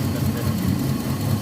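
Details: Older Nissan Maxima at idle: lumpy uneven idle with rough low chug and missing beats; two ignition coils get no signal from the ECU, traced to a failed ECU ignition driver chip.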